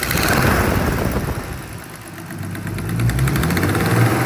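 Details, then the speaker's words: BMW E36 325i turbo at idle, oil at 69°C: a rough idle with a light tick about three per second; the owner suspects an exhaust manifold gasket or exhaust leak rather than engine internals. "franchement j'ai vraiment l'impression que le bruit en fait il vient de l'échappement je vous jure que le bruit vient de l'échappement je crois et je suis en train de paniquer sur le moteur depuis le début"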